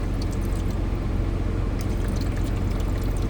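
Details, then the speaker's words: Euhomy refrigerator and ice maker combo, ice maker switched on with plenty of fresh water in the reservoir: even trickling fill sounds normal, but the unit then shows ice full, empties, and wrongly says add water. "Plenty of fresh water in there. Turn it on. And this is what happens. It fills"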